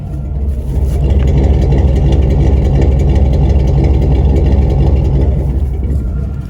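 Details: 1993 Chevrolet K1500 V8, running rough and hard to start, just starting to warm up: low heavy idle loping unevenly about three beats a second, surging and stumbling; rough lopey idle, owner suspects fuel pump, tune-up planned.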